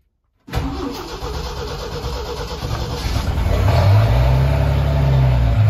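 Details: Ford 300 inline-six with new homemade turbo header, first fire-up with exhaust cutout open, fuel pump primed; cranks briefly, catches cleanly, settles into a deep, loud open-exhaust idle that swells slightly; runs normally.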